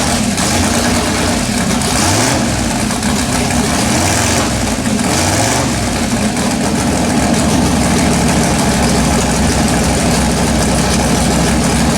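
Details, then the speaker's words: LS-swapped Chevrolet S10, first fire-up after spark plugs found carbon fouled and cleaned, coil wiring checked but unsure it's correct. Engine catches and runs loud and uneven, revs surging and sagging; still hard starting and rough running. "that doesn't sound right that's why it won't start plugged your carbon foul I'm gonna pull plugs out and clean them up"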